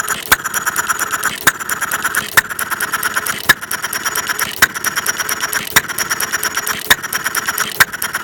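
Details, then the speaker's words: Half-scale Domestic side-shaft hit-and-miss model engine, 9-inch flywheels, make-brake ignition, gravity-fed fuel, set to run fairly slow in cold weather; sharp pops about 53 a minute with light valve ticking, running fine. "okay let's fire this baby up don't you hear it run for a little bit I have it set to run fairly slow right now"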